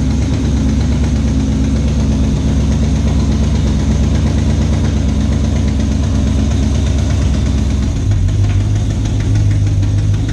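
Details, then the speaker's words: 2012 GMC Sierra 6.2L V8 before supercharger build. Rough, uneven knocking through a steady idle; it runs badly and cause is still unknown. Valve springs checked fine except the rear cylinder. Engine knock. "so as you can hear this thing sounds pretty [ __ ] terrible so we haven't been driving it still unsure what's broken"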